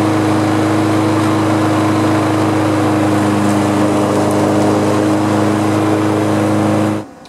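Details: Small lawn mower engine, apparently the replacement fitted in an engine swap after the old engine developed a loud knock, runs at a smooth, steady speed with no knocking, then shuts off.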